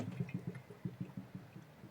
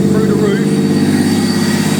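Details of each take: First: Supercharged Honda NSX build, bleeding the cooling system with a pump on the line: irregular gurgling and bubbling bursts as hoses are squeezed, as air travels back from the front and coolant replaces it. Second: Honda NSX with supercharger and 6-speed LSD manual conversion, first start with new custom exhaust and boost gauge installed: strong, steady mid-pitched drone holding an even idle without knocks or misses, good oil pressure; healthy running.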